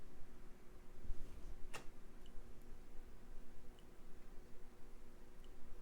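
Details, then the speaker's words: Water-damaged Xbox One S with no power, being repaired after a short was cleared: one sharp click at AC power-up, possibly from the speaker, then nothing while 12 V comes up; cause unclear. "I'm hearing an audible click sound maybe it's coming out of the speaker"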